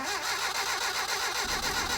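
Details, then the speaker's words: 1983 Mitsubishi Starion turbo, fresh NGK plugs, compression about 100–120 psi: short steady cranking that never fires; crank no start, fuel leaking from throttle body, owner suspects clogged injectors. "One last crank for good measure. Looks like we've got fuel leaking out of the throttle body still, so the injectors are probably clogged."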